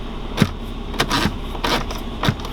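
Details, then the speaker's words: With the engine idling during no-cabin-heat diagnosis, short soft whirring bursts come from the dash as the heater blend flap sweeps open and shut, smooth with no clicking; flap operation is normal, suspected blocked heater core instead. "I definitely hear the flap going open and close, so that's no problem."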